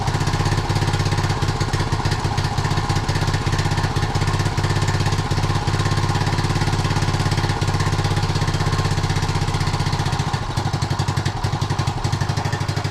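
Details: 1976 Honda Z50J1 Monkey, single cylinder, warming up after ignition points work, with a recently fitted new carb that may not be tuned. Small putters at about four beats a second with stumbles and dips. Rough idle.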